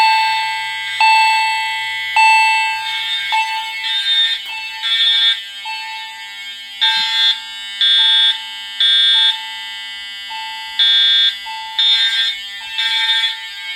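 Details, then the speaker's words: EST fire alarm system test (pre-Integrity panel with chime): horn blasts pulsing about once a second over a clear, steady chime that stays audible over all horn strobes; normal horn and chime operation. "I love the way that the chime sounds, and the fact that it's loud enough that you can hear it even with all the horn strobes running."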